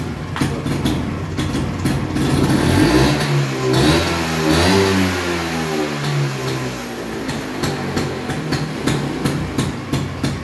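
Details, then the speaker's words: Restored 1970 Vespa GT (Granturismo) 125 two-stroke with a non-original aftermarket exhaust, fuel nearly empty: crisp crackle rising smoothly on each throttle blip and settling back, healthy. "Knalpotnya bukan knalpot bawaannya, tapi mantep sih jadinya. Ini kalau dipakai jalan pasti Cihui banget. Ngetuk banget tuh suaranya."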